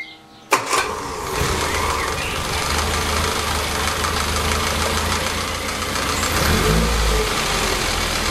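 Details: Warm Lotus Elan, after about 500 miles, with the timing chain slack adjusted during carb tuning: it catches at once and settles into a steady idle with no chain rattle; normal idle.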